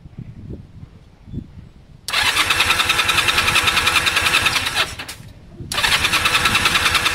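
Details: Honda CB250 compression test, plugs disconnected, throttle held wide open while cranking: starter spins quickly and evenly with little resistance; gauge reads about 60–90 against over 150 expected; low compression.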